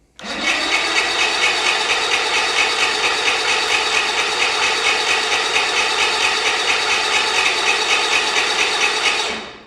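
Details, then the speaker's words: Outboard on a 40-year-old Bass Tracker that sat for years, water-filled and primed with fuel: steady rhythmic cranking, about two turns a second, for nine seconds with no firing or catch; cranks but won't start. "Let's try her out. Here we go. Nothing."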